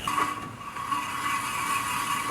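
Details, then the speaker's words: Mazda NA Miata during Torsen LSD, half shaft, driveshaft and brake caliper install: a steady thin scraping tone under a light rattle as the hub turns, which they suspect might be the dust shield rubbing. "might be the dust shield. Yeah? Making that noise."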